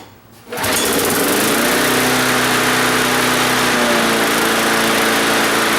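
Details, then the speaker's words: Donated non-running lawn mower engine, first start after priming a bone-dry carburetor, throttle linkage working backwards: brief crank, then a steady, even buzz with no popping or misses; smooth, healthy motor. "that is a good running motor nice and smooth no popping in all that good stuff"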